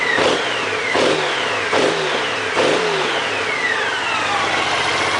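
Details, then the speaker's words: Honda GL1800 Goldwing with about 40,000 miles, revived after sitting, fully warm with the cooling fans running: crisp, even rise and fall on each throttle blip. The engine sounds healthy and free-revving. "Yes, sir. Nice mill."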